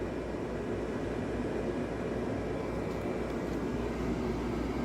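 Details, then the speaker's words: Honeywell dehumidifier with electronic controls, on slow fan speed: even low compressor hum with soft fan rush, but not blowing the expected warm air, so it is not dehumidifying; cause unconfirmed. "you can hear the compressor it should be blowing more uh warm air right now I can't prove it but it is certainly not"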